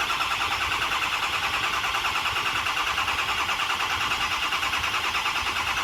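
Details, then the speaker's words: Freshly rebuilt diesel engine first fire-up after high pressure oil check (about 88 psi holding), run to full operating temperature: catches and settles into steady, even idle rhythm, no knocking or rattling; sounds good, normal idle. "wow no it sounds good well it's all the way at the temperature I just killed it"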